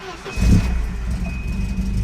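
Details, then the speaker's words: Volvo 240 after fuel pressure regulator replacement, previously barely starting and running rough: engine catches within half a second and settles straight into a steady, even idle without stumbling or misfire; normal start. "Hey! Hey! That's pretty good. You look at that, when your fuel pressure regulator regulates fuel pressure, it works."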